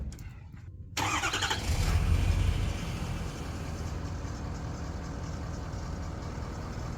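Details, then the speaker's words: Ford Powerstroke diesel truck, warm engine start: starts instantly, flares briefly, then settles to smooth, steady idle; sounds healthy, cold start not yet tested. "thank you sounds really healthy starts right up no it's not like I said it's warm we'll have to see some other time how it starts when it's cold out"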